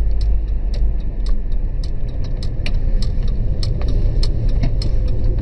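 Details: Skoda 105 S engine idling just after a valve adjustment, done because the owner felt it lacked full power; even low idle with light, regular valve ticking, nothing harsh or uneven; runs smoothly, normal.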